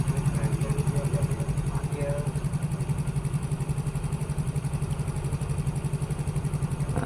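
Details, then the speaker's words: Yamaha Mio GT scooter, bought second-hand, after service: steady idle thumping about four beats a second with no hunting or surging; idle back to normal after the previously high idle was fixed by packing with the ISC hose. "sekarang langsungnya udah kembali normal teman-teman ya."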